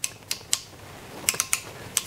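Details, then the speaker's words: Cincinnati Toolmaster 1D mill feed gearbox: crisp clicks in small clusters as the feed selector knob steps through detents, which are made by two springs and two balls seating around a plate. This is normal clicking. "got two springs and two balls that go into detents around this plate"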